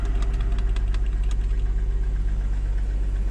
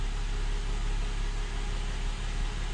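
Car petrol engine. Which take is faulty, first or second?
first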